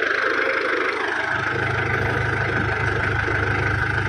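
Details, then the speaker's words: Diesel car at idle during an engine health check: steady low diesel clatter at an even pace, no "tok tok tok" knocking or misses; the engine sounds healthy and is judged normal. "nggak ada suara maksudnya ngelotok kayak tok tok tok tok tok gitu ya, itu masih kategori normal."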